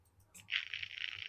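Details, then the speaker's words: Model railway point (OO gauge): soft click of polarity relay switching as point is commanded, then about a second of even high whir as servo throws the point; healthy operation. Finding: normal relay click and servo operation. "and the little noise from the servo. Now that click is the polarity relay switching the moment I tell the point to change."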